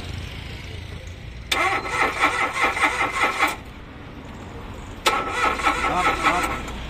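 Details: Mitsubishi Mirage cranking but not starting: two even two-second cranking spells that never catch; fault traced to the fuel pump wiring.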